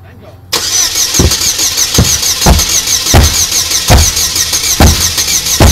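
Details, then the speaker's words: Oldsmobile, likely 3.4 V6, crank no start: starter churns steadily while the fuel tank under the car is struck with a rubber hammer about once a second; engine never catches. Corroded fuel pump relay noted; failed fuel pump, replaced afterward. "so the other the other thing is with that corrosion all that crusty stuff that was on that relay for the fuel pump we want to uh check the fuse as well but it's looking like little fuel pump's going to be a little cockered"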